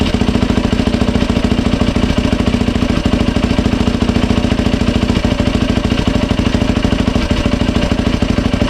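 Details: 2007 Yamaha YFZ 450 single after top and lower end rebuild, new water pump seals and impeller shaft fitted to fix a coolant leak at the pump hose; quick, even popping idle with steady beat, no misses or knocks. No leaks, runs smooth.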